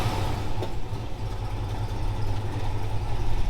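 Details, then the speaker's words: 1964 Chevelle V8 idling after exhaust repair: deep, even burble with no puffing, ticking or broken-pipe noise; exhaust now sealed, clean and quiet. "No more noise. No more nasty broken exhaust pipe sound. She doesn't sound very mean, but clean and quiet."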